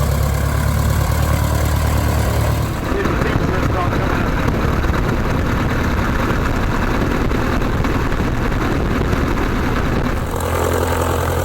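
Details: 1946 J-3 Cub engine at first start after a four-year restoration: a steady low drone, then a strong even roar as the throttle comes up, with no misses. Mags and carb heat checked good, temperature a little over 100. Normal engine run-up.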